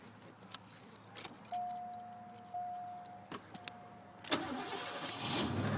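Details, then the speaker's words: 302 V8 after a tune-up with new plug wires, useless belt and small pump removed: a few clicks and a chime, then the starter catches and it fires straight up into an even rumble; normal healthy start. "fires right up listen to that all freshly tuned up oh yeah good old trusty 302"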